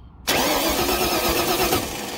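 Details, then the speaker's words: Starter jumped straight from the battery terminal to the solenoid S terminal to test the solenoid: sudden whir as the starter spins the engine over steadily, so starter and solenoid work when fed directly. "that obviously turns it over"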